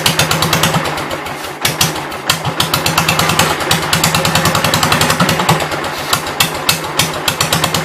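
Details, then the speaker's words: 1972 Gravely 430 single-cylinder engine, one valve (owner assumes exhaust) previously stuck, running rough on sprayed carb cleaner with little fuel: ragged, uneven popping with irregular sharp bursts, barely firing; owner wonders if it flooded, fears backfire. "Guess I'll try and get it to stay running on carb cleaner. Maybe split second to go from side to side ain't going to let me do it."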